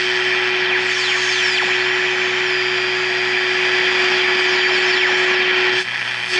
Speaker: by the way you hear that sound going that is actually coming from the standby of my arbitrary waveform generator ask me how long it took to find that one out